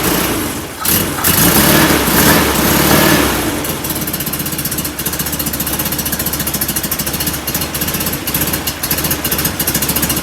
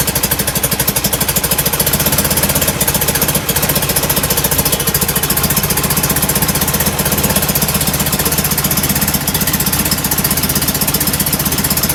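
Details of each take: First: Performance VW air-cooled engine, reinstalled after a pushrod tube oil leak and distributor removal: fires up with a few loud revs, then a regular, fairly even idle of about four pulses a second; no oil leaking. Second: Enlarged performance VW air-cooled carbureted engine with larger air filters: lumpy, loping idle with uneven exhaust puffing; mixture running rich, likely from oversized idle jets, as before the rebuild.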